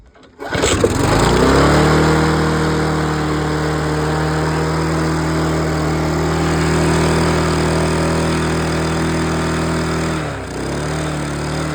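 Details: Mountfield LS45 mower with Briggs & Stratton engine rescued from the dump, old carburetor refitted and primed with fuel: short crank, then catches and runs steadily with a slight dip near the end; starts and runs properly.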